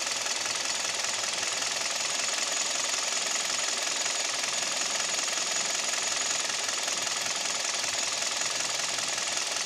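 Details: Kia/Hyundai Theta II G4KD petrol engine at idle, recorded from inside the cabin: rapid, sharp metallic knocking about two to three beats a second over a thin idle; owner reports piston knock and vibration at idle, knock at 1500 rpm, noise pulling away with A/C and heaters on.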